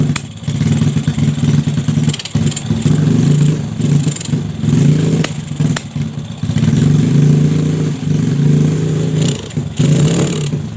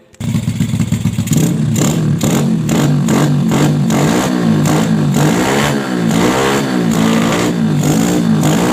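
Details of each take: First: Yamaha Jupiter Z with bored-up engine, new valves and piston, freshly fitted unset PE 26 carburetor: revs up then repeatedly sags and stumbles instead of pulling cleanly, like fuel starvation; hesitation, carb setting suspected. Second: Bored-up Yamaha Jupiter Z single-cylinder with PE 26 carburettor, after widening the carb passage to cure hesitation when throttled: catches and revs cleanly up and down with no stumble; smooth throttle response.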